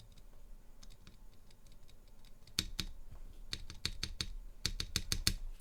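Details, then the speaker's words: Durock spacebar stabilizers after slider modification, not yet lubed. Sharp clacks and solid thumps that stop cleanly with no tinny rattle; dramatically less rattle, like an OG Cherry stabilizer. "as you can tell there's dramatically less rattle so it sounds more like an og cherry stabilizer"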